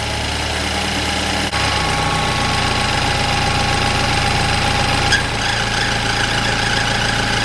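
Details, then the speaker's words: BMW 328i F30 N20 engine, first start after oil filter housing gasket replacement and coolant bleed: rough uneven grumble with faint rapid rattle settling partway; alternator grumbling, owner suspects coolant got into it; cleared up. "so the alternator was making some pretty grumpy noises there at first i think some coolant must have gone in it it's cleared up now"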